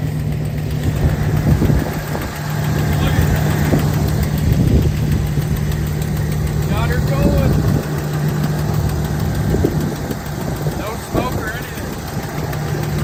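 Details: 1993 Ford F-350 crew cab long bed with the 460 V8, one-owner truck, first start after sitting over 10 years, given new fluids, battery and gas: deep, steady idle with an even low rumble, no misses or knocks; normal idle.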